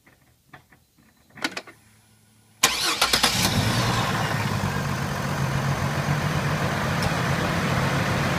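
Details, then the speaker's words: Chevrolet Trailblazer 4.2L, restarted after stalling in driveway: cranks and catches, then uneven stumbling idle with lopsided beat as one cylinder drops out; misfire later confirmed by check engine light as failed cylinder 6 ignition coil. "So you hear that nice misfire going on. So, being that I've done this before, I knew it was an ignition coil."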